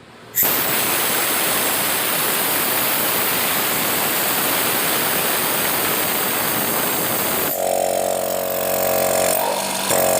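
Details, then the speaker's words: Used air compressor running while its intake filter opening is covered by hand: steady, dense motor-and-piston clatter with no knocks or squeals, and strong suction felt at the hand, a sign performance is still good; normal running. "Nah teman-teman tadi bisa lihat atau bisa mendengar suaranya ya ketika lubang filternya ini saya tutup jadi terasa di tangan kita itu sedotannya kuat Nah itu tandanya performanya masih bagus"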